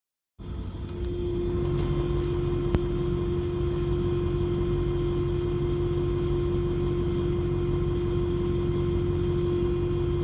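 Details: A brand-new Airdog fuel lift pump gives a loud, steady electric whine over a low cab rumble, recorded from the rear left floor just above the pump.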